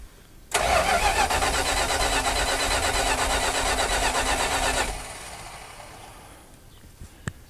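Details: 1976 Dodge Power Wagon W100 parked 16 years: about four seconds of harsh rapid cranking that never catches, then stops; cranks without starting, cause not confirmed.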